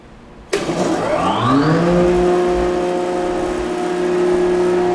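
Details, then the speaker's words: Oliver Model 12 CD 24-inch jointer motor starting and spinning up within about a second to a smooth, steady hum, with only light vibration and rattle from the guard; normal, very quiet running. "Other than a little vibration from the guard, you can hear it is a very quiet machine. I mean, it's one of the quieter I actually say it's the quietest 24 in that we've had."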